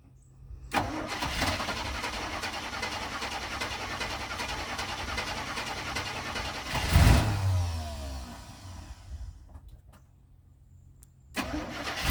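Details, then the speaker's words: 1985 Winnebago with 454 big-block V8 and Turbo 400, 32,700 miles, first start after about 17 years sitting, fed fuel from a bottle: cranks, catches quickly and runs evenly with oil pressure, no knocks or misses. "have oil pressure that's good that sounds like all you got to do is keep feel going in it"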